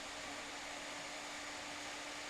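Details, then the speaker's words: PC power supply fan after disassembly and a couple of drops of sewing-machine oil, reassembled and tested: soft even airflow hiss with faint steady hum, no buzz or rattle; the earlier hum is gone and the fan runs quietly. "Итак друзья смазали блок питания собрали его проверяем шумит он или нет как мы слышим не"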